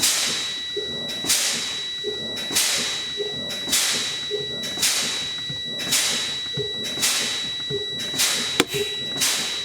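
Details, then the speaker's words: CDL pre-trip air brake check on a truck, engine off, pumping the brake pedal down toward the 60 psi warning; sharp hiss bursts about once a second with each pump, each fading quickly, even and strong; normal air brake exhaust. "So I'm going to pump down the brake pedal. Every time I pump it down, you hear the air exhaust off."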